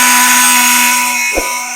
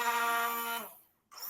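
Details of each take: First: Yamaha R15 V4 starter motor (self) removed and spun free: loud harsh whirring grind, stopping and spinning up again; mechanic suspects the starter's internal bush is cut, causing krak-krak noise and failed self-starting; one-way clutch and bearing found intact. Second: Yamaha R15 V4 starter motor after repair, bench-tested with direct connection: clean whine winding down and spinning up again, no krak-krak clacking or grinding; normal starter sound.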